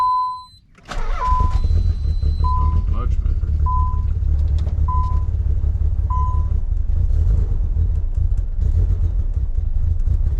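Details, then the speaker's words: Nissan 300ZX (Z32) twin-turbo convertible cold start on jumper cables: catches after a few seconds and settles into a steady, even idle under chime beeps; bluish smoke suspected condensation, possibly valve stem seals, turbos or PCV. "doesn't sound bad but either the condensation or it could possibly may need Val stem seals maybe turbos PCV"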